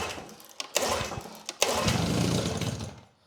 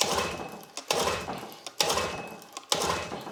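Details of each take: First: Grandfather's old Evinrude 6 hp Fisherman outboard, primed on mixed old and new gas, choke on. After a few pulls it catches and runs roughly briefly. It fired up and later runs like a top. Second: Grandfather's old Evinrude 6 hp Fisherman outboard (bought 1991, from a barn), new 3/8 fuel hose, choke on. Hard recoil pulls with no firing. It isn't getting fuel; the inlet was found completely clogged.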